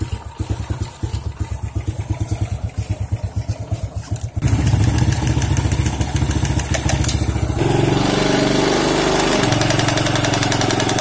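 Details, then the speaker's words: Honda C-series motorcycle idling with a dull, uneven knock about three a second, louder when the clutch is worked; a loose clutch bolt strikes the clutch. "dicek ternyata ini ada satu bot yang kendor ya Jadi pada saat koping ke sini itu kena k kopling ya jadi bunyi"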